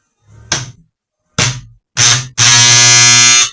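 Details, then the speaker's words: High-power transformer fed 110 V, essentially a short test: loud harsh mains buzz in bursts from loose, crooked core laminations vibrating. "aí deu para você ver que esse esse barulho de vibração é o barulho da bobina vibrando aqui ó Ok então é o que acontece o transformador ele não pode funcionar com as lâminas Bamba"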